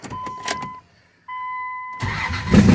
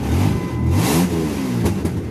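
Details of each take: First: 1998 Dodge Ram after correcting distributor installation and firing order: ticking beeps, brief crank, then catches into a steady raspy idle with no stumbling; raspy kazoo-like tone from exhaust still needing repair. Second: 1998 Dodge Ram running after the distributor was reinstalled in the correct firing order: a raspy, kazoo-like buzz that rises and falls with a quick rev and no stumbling, an exhaust leak rather than an engine fault.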